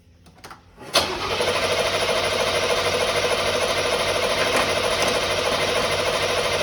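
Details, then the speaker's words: 1989 Firebird Formula 350, 10,000 miles, long stored: after heating gummed injectors, short crank then catches and settles into steady fast idle, injectors now passing fuel. "So, and we can hear it run if we put starter fluid in it. So we know that pretty much the injectors are clogged up, gummed up, whatever."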